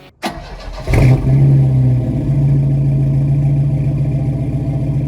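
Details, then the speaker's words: 1973 Opel Manta A, 1.9 L CIH engine a couple weeks after DIY cylinder head refresh (head gasket, valve seals): quick crank, clean catch, steady even idle, no leaks or smoke; normal start and idle. "sounds good so I think I actually pulled this off"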